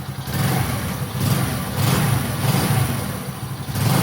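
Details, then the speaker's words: Lifan 110 engine freshly installed in a Honda C90, carb mixture screw set starting from a full turn out: steady single-cylinder idle, then quick clean blips that settle back smoothly; sounding nice; normal idle and revs. "It's just start off at a full turnout and then in or out, whatever the bike wants. Sounding nice."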